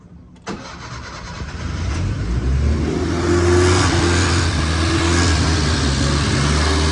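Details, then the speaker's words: Fiat 850 Spider, first start in ten years after carburettor rebuild, choke pulled out; cranks briefly then catches to a lumpy, uneven fast idle; won't start without starter fluid, cause unknown, fuel pump doubted. "choke has to be pulled out and come on and it won't start unless i spray starter fluid in it apparently well i don't know why that is"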